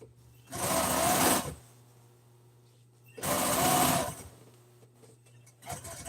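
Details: Sewing machine stitching seat-cover pieces for a 1997 Ford F350 seat: two short bursts of steady, fast, even needle chatter with quiet pauses between. Smooth, normal stitching.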